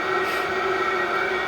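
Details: Diesel heater in a cold allotment shed, 16 minutes after start, shed warmed from 1 to 3.7 degrees: steady even roar with constant fan hum and fixed tones, no knocks or surging; healthy at high power.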